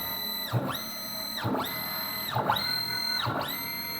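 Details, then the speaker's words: Hybrid closed-loop stepper on CNC axis, feed ramped past 340 toward 500 inches per minute with rag friction; whine climbs to high steady pitch then drops away with a knock about once a second; stalls at 500 ipm, drive alarm flashing, motor about 120°F. "so at 500 inches per minute 500 inches per minute the serve the closed loop Decker bombed out and you can see the alarm light is flashing on the drive"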